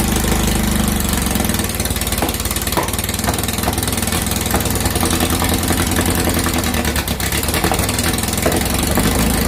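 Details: 2332cc air-cooled VW bug (Dust Buggy) after cleaning carbs and setting mixture screws: steady even idle about two pulses a second, no stumbling or misses; normal idle.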